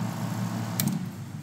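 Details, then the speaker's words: Jun-Air UltraQuiet compressor running normally with the cover off, on auto between pressure switch set points: quiet, even low hum from heavy noise dampening, with one brief hiss of the purge valve partway through. "notice even with the cover off it's super quiet there's a lot of noise dampening even in there"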